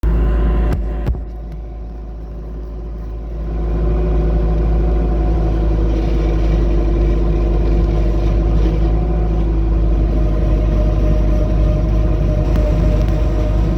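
Diesel drone rises under load at about three seconds, then a steady whine settles over the rumble; the noise while turning has no clear cause.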